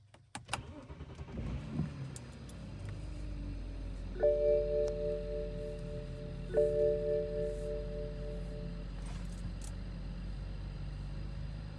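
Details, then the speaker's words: BMW E61 with N54/N55 engine, after replacing high-pressure fuel pump for codes 2B2C and 29F2 and rough running: brief crank, catches promptly and settles into steady idle; starts much faster, no codes. "so I started the car for like probably three four times uh no cods for the high pressure fuel pump or whatever starts a lot faster now as you can hear it"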